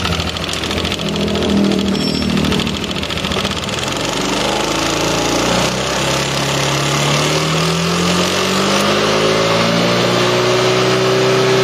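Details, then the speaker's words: First-generation Yamaha NMAX scooter engine revved from idle: rough, rattly clatter from idle up to 4,000–5,000 rpm, smoothing above 5,000 rpm when VVA engages; worn variable valve rocker arm noise. "dari RPM bawah dari stasioner lebih tepatnya ya sampai naik ke 4.000 sampai ke 5.000 RPM dia masih kasar suaranya setelah 5.000 ke atas perkiraan dia Suaranya lembut"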